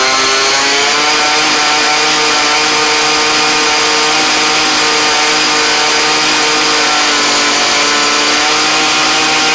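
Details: Craftsman weed eater (two-stroke trimmer), carb already tuned well, running after a cold start: steady, even high-pitched buzz with a constant note and no misses or surging; normal running.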